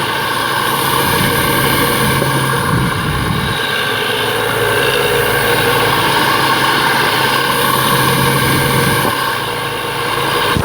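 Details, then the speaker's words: BMW 335i with the engine running and revved: a steady low groan rides over the engine rush, heard through a stethoscope and diaphragm attachment. It is loudest at the tensioner, so the owner suspects a noisy tensioner bearing and plans to replace it. "well I believe it might be coming from the tensioner bearing down there um and when I give it more RPMs the groaning sounds like it's coming from there"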